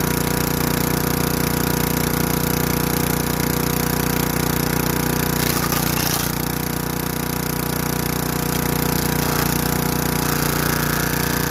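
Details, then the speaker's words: Craftsman Eager 1 4hp chipper vac (model 987.799790, auction flip) chipping sticks. Steady drone with a fast, even chatter of about three hits a second; bent sticks don't feed through. Healthy under load. "So yeah, so the bends and the sticks aren't going there, but it looks like it's chipping them up."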